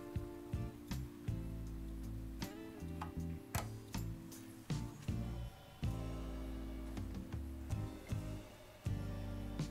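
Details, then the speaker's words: 1950s Junghans chiming mantel clock, W200 movement, four gong rods, tested before repair by spinning the minute hand: clear ringing Westminster chime notes in an even melody with clean decay, no buzz or dragging; healthy chime. "allright that's the sound it makes beautiful tone on the melody"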